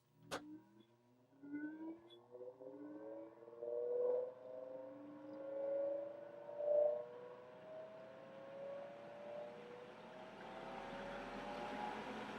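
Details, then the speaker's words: NAKOOS solder fume extractor fan (0.25 A), with the microphone facing the fan. A quiet hum climbs in pitch over several seconds as it slowly ramps up, then holds with a soft airy rush. Normal running. "So that took a minute to ramp up, but it felt very powerful."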